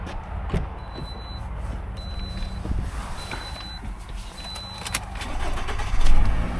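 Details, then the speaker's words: Used Toyota truck, no stored fault codes: steady, even idle with a brief rev rise near the end and no knocks or rattles; the engine sounds healthy. "Motor sounds good."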